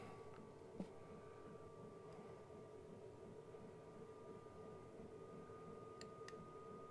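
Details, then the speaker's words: Cheap Chinese eBay diesel heater in a caravan, warmed up with outlet too hot to touch, fan being stepped up through levels toward level six (highest), about 2.2 A at highest and about 1 A at lowest; quiet steady hum, no knocks or rattles; normal fan running. "well really it's just the fan speed so fan speed 6 which is the highest on ours"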